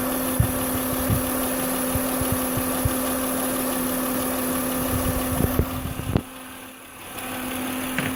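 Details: 2006 Acura MDX 3.5L VTEC V6 at idle: constant, steady mid-pitched whine over the idle from the old failing alternator.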